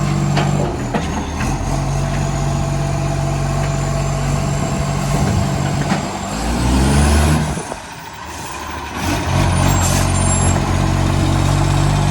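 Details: Garbage truck on a recycling route, heavy diesel idle: uneven, fast puffing tick around four a second plus an air-brake hiss, from a massive exhaust leak.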